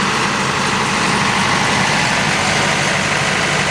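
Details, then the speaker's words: After a full service and fuel priming, a 110 kVA Allied/Cat diesel generator runs at a loud, steady, even idle with no knocks or misses, running normally. "अभी generator जो है वो हमारा start हो गया है।"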